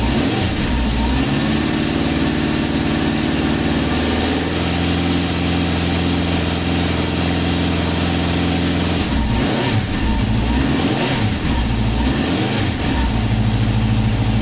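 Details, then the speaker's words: 1972 Honda CB750 Four, dry-sump engine, after an oil change, first cranked with kill switch off until the oil light went out: starts and settles into a steady, even four-cylinder idle, then a few clean throttle blips. Normal idle. "Quindi Ruotiamo l'interruttore in emergenza su off, accendiamo il quadro e facciamo girare il motore fino a che la spia dell'olio non si sarà spenta. A questo punto possiamo rimettere l'interruttore di emergenza su on e mettere in moto."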